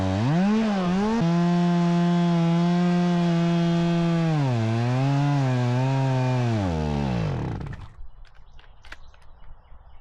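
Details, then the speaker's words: Stihl MS 270C chainsaw when hot, after about 8 minutes cutting: steady scream sags and wavers, then the engine dies; bogs down and stalls only when warm, fine cold; cause suspected, not confirmed. "but it did bug down and died on me twice"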